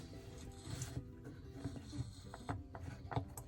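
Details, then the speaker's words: Dishwasher circulation pump left dry for a while: quiet scratchy rubbing each time the impeller is rocked back and forth by hand; impeller rubbing. "I hear like a little bit of rubbing sound now this one has been sitting with what they call a dry sump for a while where there's been no water in here and that's not good"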